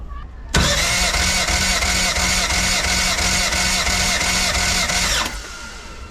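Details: Race car engine compression test after breakup under boost in mid fourth gear: starter cranks at an even beat of about four per second with no dropouts; cylinder two is low; bent valve found.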